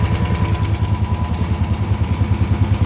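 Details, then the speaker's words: Honda generator after a no-start tune-up (carburetor cleaned, oil changed, fresh gas), first start with choke on: steady low thumping about three beats a second, no hunting or surging; normal idle. "Look at that. idling perfect. That right there."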